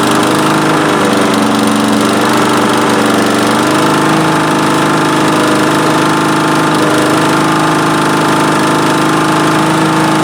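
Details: Vintage Honda Harmony II HRR216 mower, estimated mid-90s, unused for years; after carburetor cleaning it starts on the first pull with choke and no air filter. Steady single-cylinder putter at even speed, no misses or knocks; running okay, not great.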